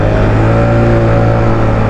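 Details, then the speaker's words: Mio MXi 125 scooter riding after a new SpeedTuner CVT set and cleaning: steady, even engine drone with no rattle, drag or whine from the belt drive; dragging and CVT noise gone, pulling better, transmission quiet and healthy. "Siyempre unang-una, nawala yung dragging niya. Tapos nawala yung ingay ng panggilid kasi bago lahat ng CVT set, yung parts ng CVT set, tapos nilinis."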